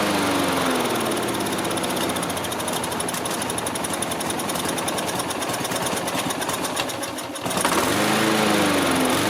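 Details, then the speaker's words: Dump-found Troy-Bilt TB360 mower, Briggs & Stratton 190cc: fast popping about four beats a second that sags and stumbles then picks up, runs briefly then dies; owner suspects stopped-up carburetor jets. "I think that probably going to have to take the lawnmower back apart. I think those jets are stopped up. Probably the whole thing's plugged up."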